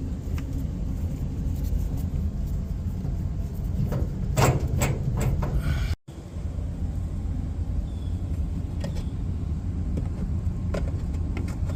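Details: Samsung dryer: constant deep rumble with a few scattered knocks as the drum turns; noisy running, cause unclear.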